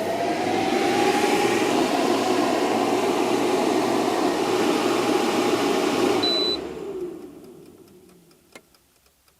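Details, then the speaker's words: Van inverter fed by a new LiThink 12V 280Ah LiFePO4 battery through thin cables, running a small air fryer at 200°. Loud steady fan roar under heavy load for about six seconds, a short beep, then wind-down. Low-voltage cutout, most likely from voltage drop. "We have small problems in the sense that after a few seconds of running the air fryer, I also did tests with the microwave. The hair dryer worked because I hadn't used it for very long. It disconnects my entire system because it most likely drops the voltage."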